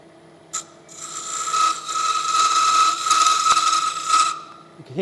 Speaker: bring the running center up against it. That will stop it from that chatter.